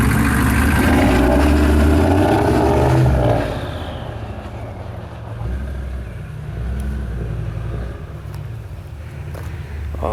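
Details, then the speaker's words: Diesel 6.5 with freshly rebuilt NV4500 transmission, first drive under its own power after the swap; loud pull for three seconds, then an even low rumble rolling along with no knocks or grinding, sounds good, normal running. "that sounds so good now. Doesn't do anything."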